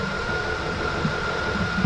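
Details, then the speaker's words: K1500 truck idling with new Continental Elite serpentine belt replacing a chirping, squeaking one, still fluid-contaminated: steady idle, faint high whine, no squeal or chirp, much quieter; normal belt noise. "belt actually works this belt is a whole lot quieter than the old one"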